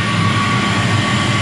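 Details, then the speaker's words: Commercial gas boiler with draft-motor-fed burner, being serviced for overheating, gas pressure still a little out: steady, heavy roar with a low rumble and faint constant tone, no surging; normal burner operation at full firing rate. "All right, so she's cranking out. Modulation wise, she's hammer time."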